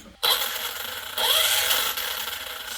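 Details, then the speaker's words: Arrma Kraton 6S EXB RC monster truck after changing center, front and rear diff fluid (center diff was low): motor spins to an even high hiss, smooth at low RPM without whine; slight grind remains higher up, not the gearing. "so much smoother guys on low RPM on low RPM very smooth"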